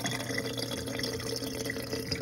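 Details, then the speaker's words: Whirlpool dishwasher WDF320PADS2 that would not drain, after the pump was removed, checked for obstructions and refitted. Steady low pump hum with water gurgling and rushing as the tub empties, no grinding or rattle; drains fine with only normal residual water. "sounds good looks good i'm gonna check looks like you got all the water out"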